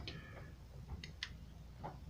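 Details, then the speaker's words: Rebuilt Dell'Orto MB 24 A carburetor from a Harley-Davidson 125cc two-stroke, float reinstalled, carb shaken by hand: scattered light ticks of the float moving freely up and down, not bound up; free-moving carburetor float. "now you shake the carb you can hear that float going up and down it's not bound up"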